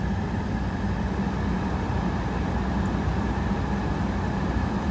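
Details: GM blower after replacing the blower control module, fan at full speed, cycling through feet and dash vents with the engine running: steady, even rush of air with no rattle, chirp or surging; blower sounds healthy.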